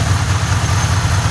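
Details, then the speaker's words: 2005 BMW 645Ci V8 idling after alternator replacement, which was hoped to cure an earlier belt squeal: smooth, low, even idle with no squeal or chirp from the belt; front accessory drive quiet and healthy. "but anyway yeah no squeal that time which is good"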